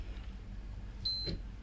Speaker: we get one bleep, same frequency as the continuous one, just one short bleep, and it reads the voltage drop across the diode.